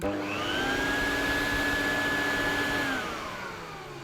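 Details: Electrolux Z504 vacuum cleaner after a mini refurb, with the facelift now fitted: steady whoosh and clean, even high whistle, then a smooth wind-down; the bag-full whistle works. Motor runs sweetly with no rattles or roughness. Normal running.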